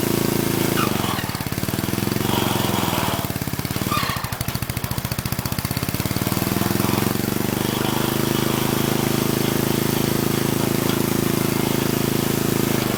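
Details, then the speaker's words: Old Troy-Bilt Horse I tiller, single-cylinder, running with the previously seized tines engaged: a steady chug, then a few seconds of rapid, jerky rattling as the tines break loose, then an even run. Both high and low range now engage. "Okay, well, you might have saw, or at least noticed it jumping around. It freed itself up. Both high and low range are engaging."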